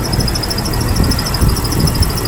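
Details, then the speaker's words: 1998 Jeep Wrangler TJ idling: rapid, regular high-pitched chirping squeak about six a second, remaining with the belt removed; traced to a dry distributor assembly, which needs replacing, with a temporary fix available. "what that is is actually it took me a while to discover this the distributor that whole distributor assembly and to get rid of it I actually need to replace it"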